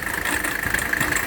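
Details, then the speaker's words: Mercedes W126 300SD diesel at idle with the air conditioning on: a constant high-pitched squeal from the AC belt. A water test was used to tell belt from compressor; a tightened genuine Mercedes AC belt eliminated it. "my air-conditioning is already running and I think you can probably hear the belt noise"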